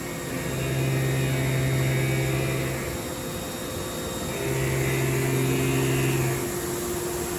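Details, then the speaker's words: Haas Super Mini CNC mill running a program with a longer end mill at conservative settings; steady spindle hum with a faint tone rising over two passes, the extra leverage giving slight chatter but an acceptable cut. "Yeah, and it's going to make more chatter, more noise. You can hear the tool a little bit right now, but it's doing a pretty good job."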